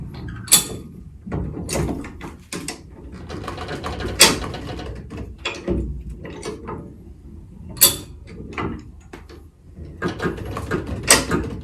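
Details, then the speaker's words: High-lift jack on the Hamer bullbar of a 2-inch-lifted Ford Ranger, lifting the wheel: sharp metallic clicks every second or two as the handle is worked, each one the jack catching the next notch; normal ratchet clicking. "you're gonna hear the clicking noise every time it climbs up"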